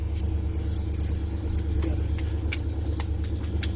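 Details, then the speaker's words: 1980s Ford F150 with 351M V8, started in cold weather after sitting two days and failing to start (batteries needing a charge): deep, even rumble with a steady loping beat of about three per second; normal idle. "well it set for two days and then I got real cold now it's running"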